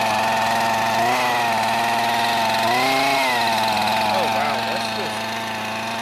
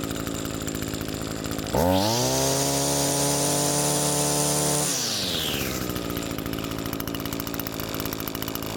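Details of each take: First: Curb-found Husqvarna 128CD two-stroke trimmer, first start: buzzy high idle whose pitch wanders and surges rather than holding clean; uneven burble of running rich. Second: Comparison two-stroke trimmer, cold with an empty carburetor, choke open, unused for about 3 months: even burble at idle, snaps up to a clean steady high-pitched scream for three seconds, then settles back smoothly; normal idle and full throttle.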